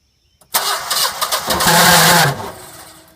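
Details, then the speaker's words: Generac generator with only 32 hours, shut off on low voltage; oil freshly changed to full synthetic, yet sounded like no oil: brief cranking into a harsh, rattly run that winds down within seconds; owner fears damage. "I went to go start it, and it almost sounded like there was no oil in it. So I changed the oil, which there is."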